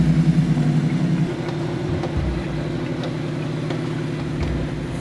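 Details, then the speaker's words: Nissan Y62 off-road under winch recovery after losing traction: heavy drivetrain strain with sharp clicks every half second to second; CV joints suspected failing, extent of breakage unconfirmed. "we're still not 100 on the extent of the breakages on the y62 although we suspect that a few more of the cvs are on their way out yep yep but even under winch the big rig is not happy"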